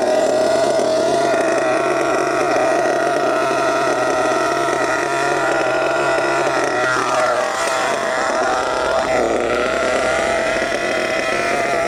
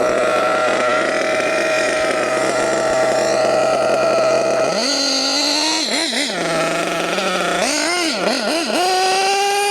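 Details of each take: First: HPI Savage GT6 nitro RC truck with F4.6 engine: drones with soft burbling note that sags and stumbles, sluggish instead of crisping up; the low-speed needle was richened too far. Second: HPI Savage GT6 with F4.6 nitro engine, after adjusting the two-speed gear-change setting 2.5 turns in: high-pitched buzz holding steady then climbing cleanly through quick blips without stumbling, gear change now working; normal running.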